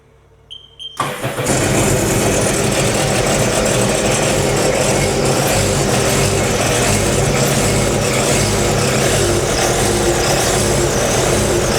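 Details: Sea-Doo RXT 300 dry-sump engine, first start after bottom-end teardown and rebuild, no coolant added yet: cranks briefly, catches about a second in, settles into a steady, even idle with no knocks or misses, though it smokes from oil squirted in.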